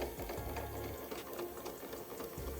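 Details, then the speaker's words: VHS tape rewinder under restoration, motor running after fixing an unpressed lever: small motor whirs up to a steady hum, cuts out, spins up again; smooth even tone, no grinding, normal. "இதுல ஒரு beauty என்னன்னா ரெண்டு டைரக்ஷன்லையும் நம்ம சுத்த வைக்கலாம்."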